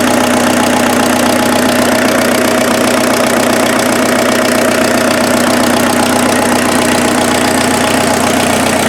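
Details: Freshened-up turbo diesel in an offroad Mazda truck idling after getting it running: a steady, even clatter with no misses or knocks. Much smoother than the previous engine, not smoking; normal diesel idle.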